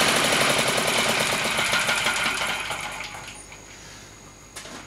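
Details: Villiers MK10 two-stroke engine, two sparks per revolution, test run: rapid, sharp, even popping at about four per second that slows and fades as the engine winds down. Healthy running.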